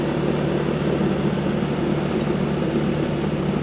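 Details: 1999 Rheem 2.5-ton R22 condenser after cleaning, first startup of the season; motor leaking oil, contactor due for replacement: steady, even fan whoosh over a smooth compressor hum with no rattles or surges; healthy, running normally.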